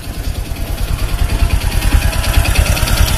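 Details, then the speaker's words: Honda Supra X 125 idling with a rough, uneven tek-tek clatter about twice a second from the clutch housing, louder on the right; centrifugal clutch shoes worn down to bare metal, causing power loss. "lebih dominan kalau dari sebelah kiri agak Tidak kedengeran suaranya terdengar jelas tek tek tek tek"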